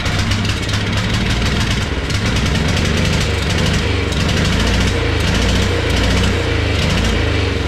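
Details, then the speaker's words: Wheel Horse mud mower, stock Tecumseh carb swapped for Mikuni-style slide carb, first start after priming, no air filter: small engine runs lumpy with uneven surging bursts; owner suspects too much fuel pressure, flooding it. "okay yes erupted out of this thing maybe it doesn't like all that fuel pressure so I'm going to slow down the fuel coming out of it"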